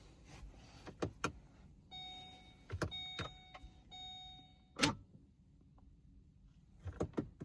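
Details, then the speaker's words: 2020 Vauxhall/Opel Corsa, electric handbrake stuck in pad-replacement service mode after a brake pad change (C1544 code in ABS ECU), right rear caliper cycled via diagnostic tool: faint electric whir in short bursts between clicks; caliper motor operating normally. "So if we now try it on the right hand caliper. You can now hear it's operating the right hand side"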